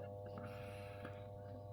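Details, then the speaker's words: 1990s fluorescent tube fitting: a constant, low mains-pitch drone with a buzzy edge. The ballast hums because the cover plate touches it. "la plaque touche le touche le balast donc ça ça fait du bruit"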